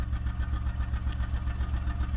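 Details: Low, lumpy idle with an uneven pulse, several beats a second. One cylinder is misfiring because an aftermarket ignition coil pack failed.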